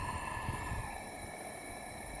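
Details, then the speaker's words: 2009 Mini Cooper S turbo, leak-down test on misfiring cylinder at about 40: steady rushing hiss on exhaust side, none at intake; leaking exhaust valves, head coming off. "this is what we thought it was gonna be, so it's a leak in exhaust valves."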